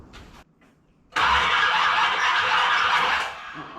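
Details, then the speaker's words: 1981 Corvette with a 1986 engine, just after a 180-degree flip: a quiet spell, then about two seconds of cranking that never catches. The owner thinks the timing is 180 out and notes the battery is dying. "That does not sound right. Okay, according to my specs, that's 180 out. But the battery's dying, doesn't have enough juice."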